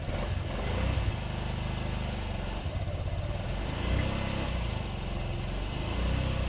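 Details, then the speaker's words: 2008 Honda Ruckus that sat unused over 5 years, started on fresh gas with starting fluid: the small single idles lumpy and uneven, stumbling and surging. Carburetor jets were clogged; after cleaning them it runs better. "to think running it wasn't running all that well so I thought some of the Jets inside the car were clogged up so I took that apart cleaned it"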